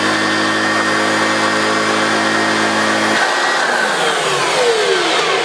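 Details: Refurbished Hoover Junior U1412 upright vacuum with new agitator bearings fitted: smooth, even motor whir with airflow hiss, no grinding or rattle; runs cleanly, normal operation.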